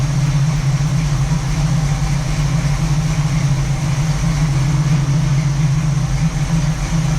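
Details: 1967 Camaro SS clone V8, parked since 2000, first startup after revival with a couple gallons of fresh gas: deep, even idle burble, no misses, knocks or ticks; ran good, nothing concerning yet.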